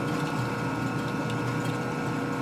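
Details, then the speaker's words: Machining a 1958 Harley-Davidson Panhead 74ci part, cutting into the broached hex area: rough uneven chattering with a ringing tone; too much chip load, tool digging in hard. "See, that was too much chip load. Right. Digging in too much, huh? It dug in hard."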